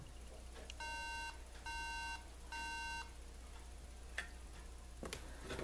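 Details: MacBook Pro no-boot, no-video three-beep RAM fault: three short beeps about half a second each in repeating groups with pauses; persists after Control+Power and Option+Command+R+P resets, before RAM cleaning.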